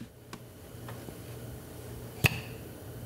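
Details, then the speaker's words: EGR valve on an early Mercedes M104 gasoline engine, vacuum hand-pump test; one crisp snap as the hose is pulled and vacuum released, gauge drops to zero; valve holds vacuum and snaps shut freely, working normally. "Yep, you could hear the snap of the valve. And of course, the gauge drops right off to zero."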